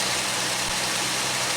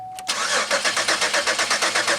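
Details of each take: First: Pontiac Aztek first start after 8 months sitting in pieces, with a transmission-fluid line leaking at a fitting: steady, even idle under a lot of hiss, with no knocks, misses or surges; normal idle. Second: Pontiac Aztek first start attempt after eight months sitting in pieces, engine reinstalled, fuel pump engaged and injectors heard resetting; starter cranks at an even four beats a second for about seven seconds, never catches: cranks but won't start, cause unconfirmed.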